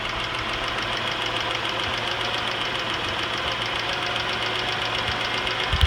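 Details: 2006 Cadillac CTS 3.6L SFI, warm idle, with a rapid even tick over the engine hum that speeds up with acceleration but not in loudness. It is faint at cold start, loudest after about an hour of running, and began after timing chain replacement; source unknown.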